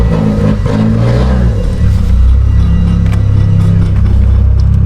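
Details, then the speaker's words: Mitsubishi Evo X with a new ETS turbo kit and straight-pipe-like exhaust, on a test drive under load: loud exhaust with occasional sharp metallic taps beneath; the driveshaft is hitting a dump tube. "I don't know what the heck that noise is. Aha, I know what that is. The freaking drive shaft's hitting the dump tube."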